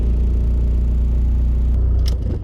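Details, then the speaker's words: VW Golf TDI with solid engine mounts at stationary idle: deep loud droning with strong low throb carried into the body and steering wheel before shutoff; vibration drops at higher rpm and while driving. "So, conclusion. Of course it's loud, it vibrates more, but the only problem you could have it with is when you're stationary, and of course, like most obvious example would be being in a traffic jam."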